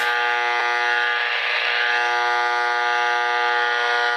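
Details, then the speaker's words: Fluorescent bulb radiating RFI into nearby radio: steady buzzy hum with stack of even tones over receiver hiss; incandescent bulbs on the same switch pick up noise too. "and it causes noise in the incandescent bulb as well both incandescent these are on the same switch so you can see that the RFI is not going out of the bolts"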